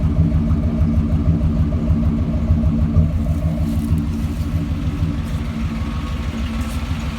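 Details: 1989 Chevy Silverado at idle: steady low rumble with a rhythmic clatter about twice a second riding on top; strange noise, source not identified.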